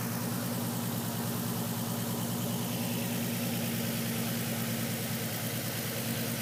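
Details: Nissan 350Z petrol engine idling with a slightly lumpy uneven beat and faint light tapping about three per second; misfire with slight knock, cause unconfirmed.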